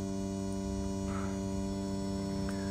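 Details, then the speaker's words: Volvo Penta SX-A power trim/tilt pump after repair, run by key to trim all the way down and up. Steady electric motor hum at even pitch under load, no groaning or stalling; working normally. "so if I go down all the way down it's moving down and it's moving up"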